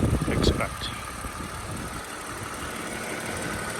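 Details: 2007 Toyota Avalon XLS V6, one owner, 167,000 miles, fresh oil change and new air filter, recorded under the open hood near the engine. Smooth, quiet, soft even hum with no ticks, misses or rattles. Normal idle.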